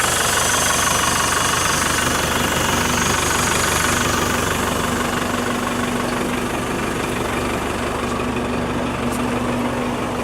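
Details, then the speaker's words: Range Rover Classic 200 diesel, new cam belt and water pump, in neutral, due a service: even, steady idle clatter with no misses, knocks or odd noises; running smoothly and healthy. "Again, like any 200, fires on half a crank, and sounds nice and smooth."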